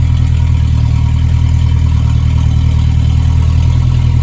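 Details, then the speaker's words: 1963.5 Ford Falcon Futura hardtop idling after fitting a replacement alternator that now charges: deep even idle with steady low rumble, no misses, knocks or ticks; running smoothly. "Listen to that thing purr, Lord."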